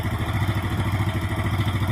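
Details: Yamaha Mio Sporty scooter after a loss-of-compression repair (eroded valve and valve seat, O-rings replaced). It has a quick, even low putter at idle with a light tick on each beat and no misfires, sounding healthy and steady: normal idle.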